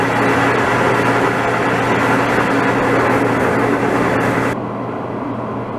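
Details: DE-N35FY clothes dryer after a fix for a bad abnormal noise: belt replaced, disassembled, cleaned and oiled. Steady, even drum rumble over a low constant hum, no squeal, scrape or thump; running normally.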